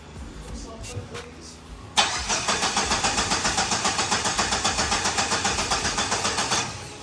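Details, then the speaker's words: SRT4 after ECU and BSI fuse issues: steady rhythmic starter cranking for several seconds without firing up, a hard start needing extra cranking and priming; owner suspects fuel draining back to the tank. "hey you just had to crank it over a little bit more so there's definitely something up with the fuel draining back to the tank for sure"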